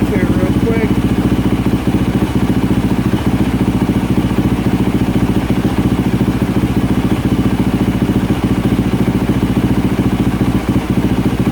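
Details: 2024 Yamaha YZ450F single-cylinder, repaired after overheating melted the water spout, warming at idle on water; app shows no trouble codes, water temperature climbing to 64°C. Steady, even thump, no knocks or misses; healthy.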